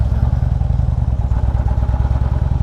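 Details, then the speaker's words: 2016 Harley-Davidson Limited V-twin: fast coarse brrr rattle over lumpy low idle beat, forced on demand; not crank knock, motor mount or wrist pin but the primary compensator; compensator rattle. "That's not a crank knot. It's not a loose motor mount. It's not a wrist pin failure. It is a compensator."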